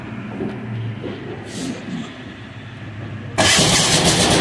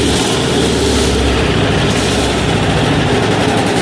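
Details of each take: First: 186FA single-cylinder diesel restarted after being run out of fuel, during an alternative-fuel experiment with synthetic blend 10W-30 oil: quiet cranking, then fires suddenly and settles into a steady, even clatter; running normally on diesel. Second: 186FA single-cylinder diesel running on Road Tech synthetic blend 10W-30 motor oil instead of diesel fuel: a loud, deep, even chug at idle.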